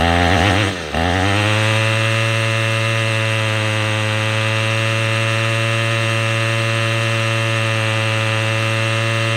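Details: Troy-Bilt TB22EC string trimmer that wouldn't start after sitting, after primer bulb replacement: small two-stroke catches, blips once, then settles into a steady, even idle with a clean, unwavering tone; running healthy.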